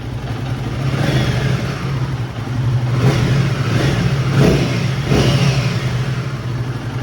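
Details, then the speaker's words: Royal Enfield Himalayan 450, cold start after valve clearance adjustment and fitting new-model timing chain tensioner torqued to 40 Nm: smooth idle and revs, only a faint, almost negligible top-end noise remaining. "There is still a faint noise, but it's almost negligible."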